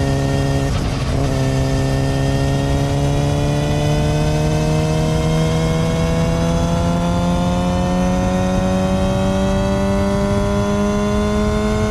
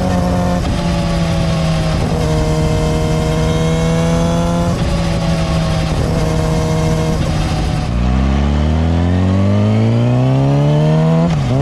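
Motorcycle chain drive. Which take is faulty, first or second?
first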